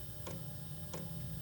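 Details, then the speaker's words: New Chinese diesel air heater at startup on highest fuel rate: sharp ticks about every two-thirds of a second over steady fan hum as the fuel pump pulses fuel to the hot glow-plug igniter; normal startup operation. "now the now the pump the fuel pump is starting to deliver fuel to the igniter kind of like a glow plug is is burning really hot in there"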